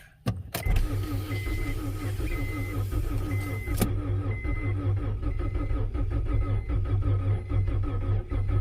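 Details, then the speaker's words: 1992 Acura Integra, sat over 5 years; new distributor and starter fitted. Starter cranks steadily for about eight seconds with even chugging but never catches. Battery running low after repeated attempts. "Oh, I'm running the battery too low. Oh, it's not going to happen today."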